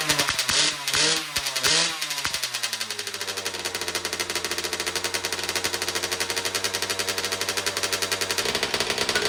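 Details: 2009 Kawasaki KX85 two-stroke after carb clean, fresh fuel and new jets, choke on: a few kicks, then a fast busy idle that won't settle; running lean on too small a pilot jet, possible air leak suspected, another jet change planned.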